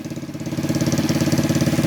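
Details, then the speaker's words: BD125-2 125cc Chinese cafe racer motorcycle (Jiangsu Baodiao) idling after an immediate start: an even putter of about fourteen pulses a second, steady with no knocks, like a little lawnmower; a healthy idle. "Kill switch is right here, and turn it on, and it starts right up. Sounds like a little lawnmower, but it's not bad."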